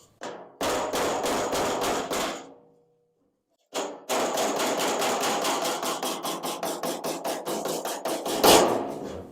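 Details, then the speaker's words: 1956 International cab-over pickup sheet-metal repair: steady hammer-on-dolly blows about three a second, ringing hollow then tightening as hammer and dolly meet over the low spot; normal panel work. "you'll hear the hammer hitting the steel as a hollow thing and then you'll hear that that's when they meet as soon as they start to meet you're in the right Realm"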